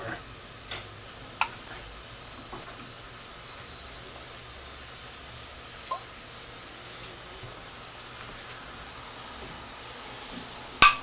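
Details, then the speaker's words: Jar lids popping down in a quiet room right after canning pickles, having been turned upside down about five minutes to help sealing: sharp metallic pops as a vacuum forms inside, meaning the jars are now properly sealed. "so that's the sound is the lid popping down what that means is that a vacuum has been created inside so these are now sealed"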